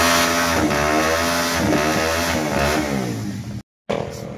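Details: Rouser 180 single-cylinder after repair for engine noise: rocker arm, tensioner and clutch lining replaced; rings, gasket, chain guide and clutch housing refitted. Revs up and settles with an even, steady beat, no knocking or rattle; running properly.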